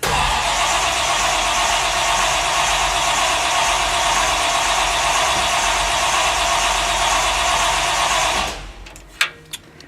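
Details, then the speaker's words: 1957 Chevy 350 V8 with two four-barrel carbs and no choke, cold-day start after priming: the starter cranks steadily about eight seconds without firing, then stops; it's reluctant when cold but eventually starts. "there's no choke so we it's got the two fours no choke so sometimes when it's cold she she doesn't want to start sometimes but she will"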